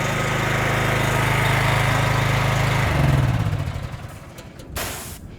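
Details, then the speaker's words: NorthStar gas-powered wet steam and hot water pressure washer: steady engine drone drops and settles around three seconds as the gun trigger releases; normal idle, trigger should be pulled every three minutes to let the pump cool. "So if I stop, the unit sits and idles."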